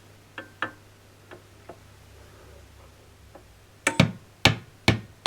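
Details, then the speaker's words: Fender Deluxe Reverb reissue valve amp with loud hum after about half an hour: tapping the chassis sets off a sharp ringing clang from a microphonic valve, which is replaced. "i don't like the sound of that that's making a real nasty noise when i tap that i think i'm going to change that valve and see if it does it again"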